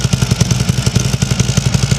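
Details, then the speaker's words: 2015 Harley-Davidson Ultra Limited, 137K miles, Vance and Hines exhaust, cracked crossover repaired with JB Weld Extreme Heat wrap and paste: loping idle with a sharp puffing tick each firing pulse; small leak remains at the lower crack, much better than before. "There's a little bit of leak coming out of the lower crack. But the tape is not. Much better than it was."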